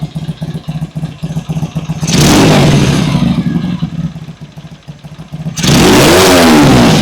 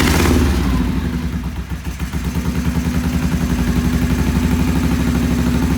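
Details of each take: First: Vintage British motorcycle, first start after cleaning the pilot jets (previously idled poorly): fires and settles into an even steady beat with clean throttle blips; runs properly. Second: Vintage British twin motorcycle with Monobloc carburettors, first start on choke-off after timing set with a strobe and idle raised: lumpy, uneven idle around three beats a second, hunting slightly; it idled poorly, pilot jets then cleaned.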